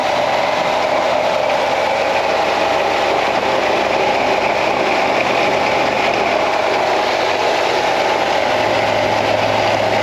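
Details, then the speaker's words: 2016 Ford F-150 5.0 Coyote V8 at 88,911 miles, overheating and dripping coolant: a steady rough growl sits over the idle and never lets up. Worn water pump bearing, pump needs replacing. "So I'm gonna start it up and I'll let you hear what this water pump sounds like, because it's growling pretty bad."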